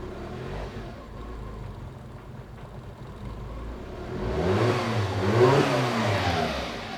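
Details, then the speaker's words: Nissan Micra K11 1.0 petrol after replacing the faulty ignition module for a crank-no-start: quiet murmur, then the engine catches with difficulty and climbs through clean revs, no knock or misfire; hard start suspected from overfueling after repeated start attempts. "Yep, it fired up. It really had a hard time firing up. And I think that's because it's been started so many times that it's been completely overfueled."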